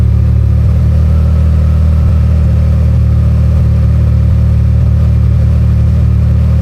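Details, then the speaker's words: Can-Am Maverick R with Evolution Powersports flex fuel system, running while E85 is added to tank of 91 octane (ethanol reading rising from 15% toward 80%): steady, even low drone with no misses, stumbles or sputter; runs smoothly on the blend. "This car was running smooth the whole time as the ethanol level increased."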